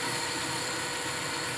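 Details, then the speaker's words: 1972 Weiler Matador SV lathe parting mild steel with an upside-down Sandvik CoroCut QD 2 mm blade, spindle run backwards: steady, even sizzling hiss, no chatter; a clean, stable cut. "i'm running this backwards yeah and safety classes are very essential here as you can hear there is no chatter"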